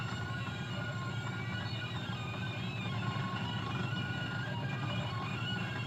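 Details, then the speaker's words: Webster-Chicago 81-1 wire recorder left playing while rewinding: loud, warbling, smeared tones with no clear rhythm, garbled audio during rewind. "Now I'd like you to just take a note of how loud it is during rewinding. I'm sure you've heard enough of that horrifying audio from those past couple shots to know and take note."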